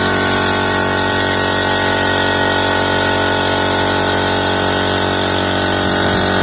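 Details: Air compressor motor after replacing its start/run capacitor; it had previously hummed but would not start. Steady motor hum with a high whine and an even pumping rhythm, about three beats a second. Starts and runs normally.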